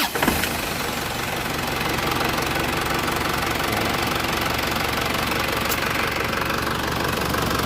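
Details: Isuzu Panther 2.5 conventional (non-common-rail) diesel after DIY injection-system purging: steady, even idle with crisp regular clatter and no misses, sharper and crisper than before; normal idle, cleaner combustion.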